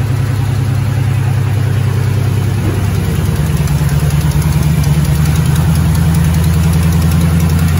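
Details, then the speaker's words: 2008 Mustang GT S197 V8, first startup after priming, following new cams and lifter and rocker arm work to fix a ticking: steady, smooth deep idle rumble with no ticking; valvetrain quiet, normal idle. "Alrighty then, everybody, he's up and running. Bad boy's up and running."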